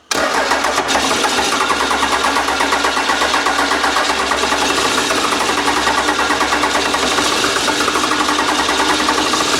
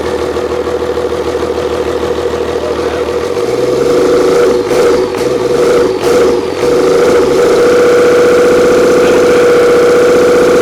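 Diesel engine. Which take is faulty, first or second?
first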